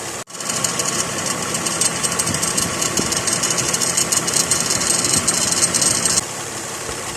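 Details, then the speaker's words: 2006 Lexus ES330 3.3 3MZ-FE V6 idling with AC on and compressor clutch engaged: harsh, erratic metal-on-metal grinding rattle near the alternator and AC compressor, worse on acceleration. "curiously, only happened when the AC was powered on and its clutch engaged. The sound with the AC on was erratic, occurring just as it pleased."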